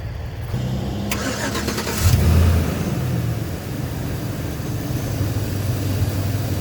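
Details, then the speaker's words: A 5.3L V8 Chevy Silverado with a completely flat battery, drained by running the fan and stereo, is jump-started by an iOnBoost TORQUE V8 lithium jumper already used 3–4 times. A brief strong crank, it catches within a second, flares, and settles to an even idle, like a fresh battery. "And what's more is that the device starts the vehicle and it sounds like it's a fresh battery inside the truck, when in fact it's actually a really dead battery."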